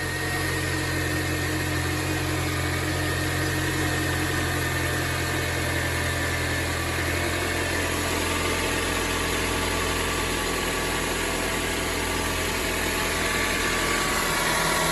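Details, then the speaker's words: 2006 Acura TSX automatic, just after replacing damaged power steering pump and adding new fluid: steady even idle, faint pump hum holding level and getting quieter, no whine or groan; normal idle. "there you have it let it flow for a little bit everything sounds good so far"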